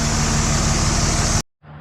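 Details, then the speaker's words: 2006 Dodge Ram 2500 4x4 Cummins diesel after a new CSF 6072 intercooler, brake held in drive while throttled to check for a boost leak. Steady loaded roar with no hiss or whoosh. No boost leak. "I was basically just holding my foot on the brake, putting the vehicle in drive, then giving her some throttle, trying to see if I could hear that boost leak again, but I heard nothing, so that means that intercooler's nice and"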